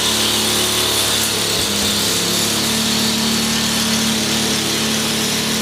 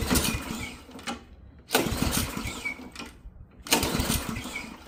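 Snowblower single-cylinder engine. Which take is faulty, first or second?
second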